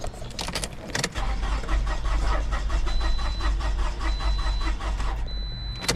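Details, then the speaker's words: 2006 Toyota RAV4 crank no start after crankshaft sensor replacement, camshaft code stored: quick, uneven cranking with weak compression beats and warning chime, spins too freely and never fires. "Hm. It doesn't sound totally normal."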